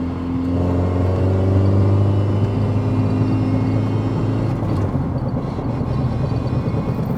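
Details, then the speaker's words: Porsche 944 that had been sitting a long time, driving; steady high-pitched gear whine like a straight-cut gearbox over road rumble, falling as the car slows, poor downshifts; transaxle suspected, cause not confirmed. "there's a really there's a sort of a wine a sort of a high-pitched wine going on"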